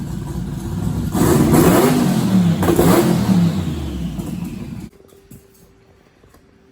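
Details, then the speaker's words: Twin-turbo all-steel pro mod 1969 Camaro V8 restarted after months sitting, barking through rough, uneven revs then shutting off abruptly; owner thinks it ran out of gas and questions the Holley VR2 twin brushless fuel pump. Rough running. "right guys so i'm not really sure what was going on um you know i run the holley vr2 fuel pump in this car and it's uh two brushless pumps this thing is supposed to be the baddest fuel pump you can buy"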